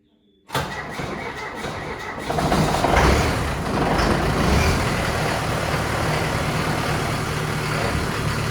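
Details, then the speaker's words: Unimog 421 diesel idling with centraliser PTO gearbox turning after fitting new output shaft to replace bent one: cranks, catches, steady clatter, no shudder or beat; vibration gone. "vibration's gone, so fitting that new output shaft has done the trick."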